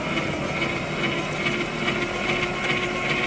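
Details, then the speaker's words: 1966 Nissan Patrol L60 inline-six, sitting 24 years, cranked via starter trigger button with plugs out and no coil: steady even churn with no binding; engine turns over freely and isn't seized. "that's a spinning all right that means that if we can get ignition and gas to her she'll run"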